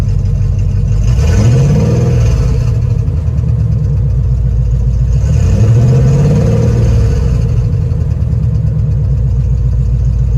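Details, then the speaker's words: 1967 Plymouth Valiant revving twice and returning to idle: uneven puffing pulses under a loud low rumble; owner suspected timing chain or header leak, shops suggested exhaust leak or spark; abnormal engine noise, cause unconfirmed. "a shop that i just swung by said that it sounded like an exhaust leak another place that sounded like spark you know um i really just thought it was a header league"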